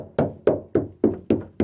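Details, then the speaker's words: Knocks on a 40 ft Concorde boat's engine-mount stringer wood during mount replacement give six firm, dull taps about three per second with no hollow ring; wood here is solid compared with rotten sections. "It's getting more and more solid. You can hear that? You hear that, guys?"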